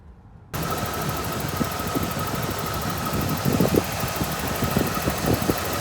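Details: 1986 Ford F150 idling after fuel system work (both tanks and sending units replaced, reservoir cleaned): steady even low rumble, no misses or knocks; fuel not leaking, small oil leak, exhaust puffing smoke; normal idle.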